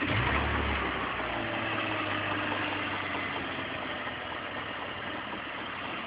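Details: BMW E46 engine at idle, steady with a light, fairly regular clack about three to four per second over the engine; source unclear, owner asks what the clacking is.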